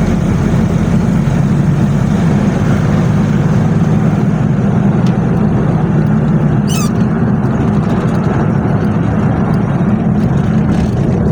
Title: 1995 hilux ln106 3L beautiful diesel clattering sounds during acceleration